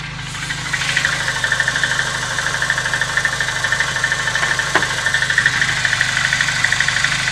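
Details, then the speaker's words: VAZ 2109 at 192,000 on the odometer, cold idle: steady light clatter from worn lifter bores in the cylinder head. Noise is louder when cold and expected to fade once warm. "Стаканчики брякали сильнее. Ну и завязкости тоже много зависит. Они брякают, потому что ещё не вошли, ну, тепловой зазор ещё."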